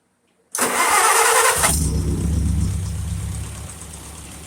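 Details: 1951 Farmall Super A first start after in-frame rebuild (new pistons, sleeves, reseated valves), after sitting 22 years seized: starter cranks briefly, catches at about 1.7 s and settles into a steady, even low idle.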